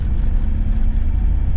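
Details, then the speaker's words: Ford Transit Mk7 front-wheel-drive van on a road test drive after replacing the driver's side front wheel bearing, which had rumbled for weeks. Now a steady low road rumble with no growl or hum rising with speed. Normal, quiet wheel bearing. "Right, here we go. Bit of a test drive. Silky smooth."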